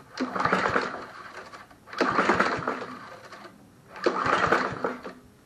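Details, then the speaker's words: Snapper SP-110 22" mower, JCV 160 engine, after valve adjustment, spark present: three pull-start strokes, short whirring rasps, never catches; owner suspects no compression. "I don't know right now it's not being an easy start a Honda mower"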